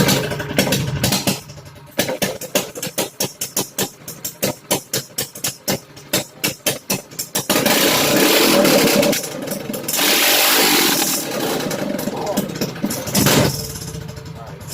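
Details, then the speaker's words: Minibike with new Predator 212 and stage 1 kit, cold start; slow, uneven popping firings, then loud, ragged running with rattling everywhere while throttle was given, so it was shut off; struggled because cold, cause otherwise unknown. "That's rattling everywhere, so I turned it off."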